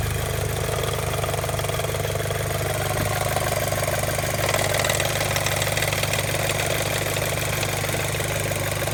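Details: Audi B7 A4, warm idle, no codes: steady idle with a fast, loose flapping rhythm over the engine note; source not located with a stethoscope, owner suspects a loose timing belt tensioner.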